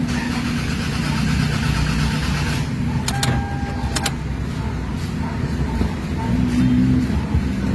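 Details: Toyota RAV4 engine cranking but not starting: starter churns at steady, uneven beat, engine never fires or catches; crank no start, traced to the circuit.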